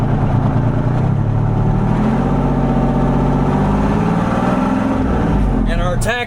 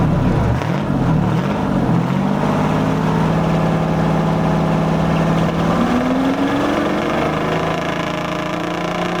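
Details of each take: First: Revived 1973 International Transstar 4300 with a 12V71 Detroit diesel, parked since 1986: the engine climbs smoothly to its 2100 rpm governed speed and holds steady with no misses or knocks. Healthy; the running issue is believed sorted. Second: 1973 International Transstar 4300, 12V71 Detroit diesel sat since 1986, after fuel return flow check: revs climb and fall over a steady low rumble, no knocks; owners suspected injectors, cylinder temps within 10°, maybe air in the fuel now purged.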